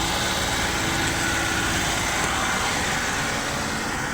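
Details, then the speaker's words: Suzuki Multicab F6A with earlier low-power, falling-short complaint, after replacing the failed fuel pump: smooth, even idle with steady rhythm, no misses or surging; fuel pump was the problem, now idles and pulls well. "fuel pump na ang problema yan oh nasa menor na ang ganda ganda na ng arangkada niya mga boss"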